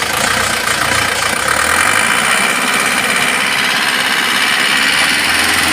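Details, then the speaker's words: Isuzu Panther diesel from a showroom, revved above 2000 rpm: hard metallic knocking over the clatter, climbing with revs, persisting after valve adjustment; piston striking the cylinder head, engine pulled down for repair. "akhirnya nya mobil ini kita turunkan analisa kita berdasarkan pengalaman yang sudah-sudah ini sejenis suara metal ya"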